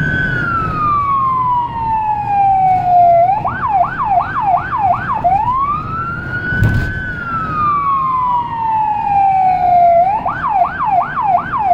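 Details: Federal Signal Rumbler siren on a small emergency car in Budapest, recorded from inside: a long wail sweeping down, then quick yelp bursts, with a faint deep 180–360 Hz throb underneath; siren and low-tone unit working properly.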